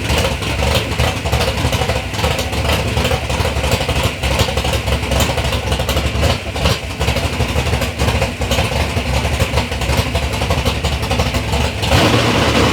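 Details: 3rd-gen Camaro with a big-block Chevy V8 on its first start-up after years of building: loud, lumpy running with repeated throttle blips climbing and falling cleanly, no knocks or misses; sounds healthy.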